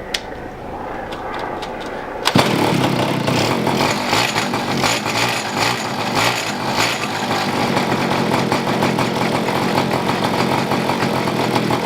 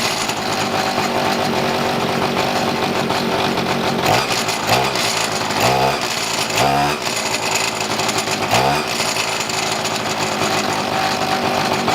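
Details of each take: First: Neglected two-stroke pocket bike being revived, pull-started after priming with carburetor fuel mixture turned richer: short buzzy pulls, then a sudden catch into a ragged, uneven buzz; stalling because the choke was pulled off too soon. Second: Pocket bike two-stroke after carb fuel-mixture and idle screw tuning: high, buzzy note holds a steady idle, and quick throttle blips rise and settle cleanly; running about right.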